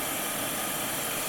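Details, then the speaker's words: Riccar/Simplicity vacuum that suddenly stopped, running after thermal reset button pressed (clog already cleared); steady even hiss-like motor roar then cuts off. Vacuum motor running normally. "If it's not plugged in, you'll hear it click. If it is plugged in, it'll just start running. It's magic."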